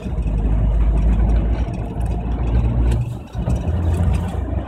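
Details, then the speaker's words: 1998 Suzuki Jimny 1.3 with rough idle and stalling, out of gear, accelerator untouched: lumpy uneven idle with the rumble sagging then picking back up; rough idle with rpm dip. "stepped it's back on it's dipped again oh there's no accelerator there sticking it's a bit rough somewhere"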